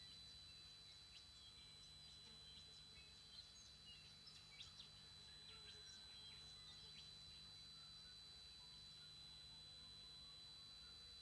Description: TriStar TS-MPPT-60 squealing. The squealing lasts for about 15 minutes, usually first thing in the morning and last thing at night, but we've now noticed it squealing loudly in the day as it transitions between MPPT and Absorption stages.